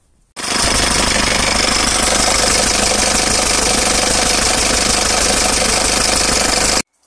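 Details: Hyundai/Mitsubishi 4D56 (D4BF) diesel, H100/H200/H1, belts off alternator and steering pump: hard steady metallic knock, three or four a second, mainly at idle and fading at high revs, absent first seconds; cracked cast-iron crankshaft.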